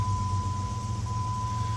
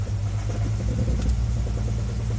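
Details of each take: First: 2000 Jeep Grand Cherokee Laredo after the cylinder 2 misfire fix and idle relearn: low, even idle rumble with a steady high tone and no stumble; restarted smooth as silk at about 800 rpm. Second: 2000 Jeep Grand Cherokee Laredo with misfire code on number 2 cylinder, hard to start, idling in gear: deep rumble with uneven stumbling beat.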